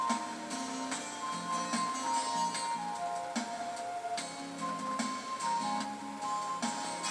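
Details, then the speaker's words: Pioneer CLD-1190 LaserDisc player bought secondhand: music playing with repeated sharp static crackles and pops like a record; cause unsure, player or dirty disc, owner suspects laser lens needs adjustment. "but you can hear the crackling that's going on right there I'm not sure if it's the player itself that's causing the problem or the this is dirty or what it is"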